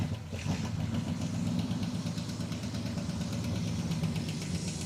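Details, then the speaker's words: Ticking valve train over a rough, uneven idle on a Dodge Charger engine, odometer 96,000 but likely rolled over to about 196,000 miles; metallic ticking like two quarters tapped together, suspected lifter tick. "lifter tick. You hear that? I don't know if that's coming through on the mic, but the motor is making uh a sound like if you took two quarters and you kind of hit them against each other uh here, or just some metal."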